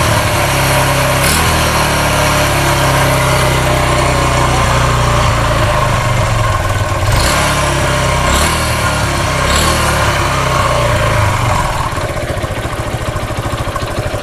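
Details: Kawasaki two-stroke motorcycle after its messy DC ignition wiring was rebuilt, new spark plug cap fitted and fuel filled: crisp, steady buzz holding an even beat without misfires or sputtering; a healthy running engine.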